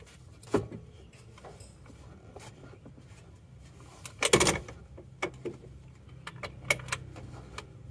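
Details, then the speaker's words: Isuzu Panther that stalled on the road 200 km after an engine rebuild elsewhere (liners replaced), engine off and crankshaft turned by hand with a socket wrench: sharp irregular "tek tek" clacks; connecting rod or bearing suspected loose or broken, unconfirmed. "akan kita putar-putar dulu ac-nya seperti ini suaranya bunyi tek tek Ini bisa juga stang atau metal yang sudah nge-gym koplok atau bisa juga seringnya patah"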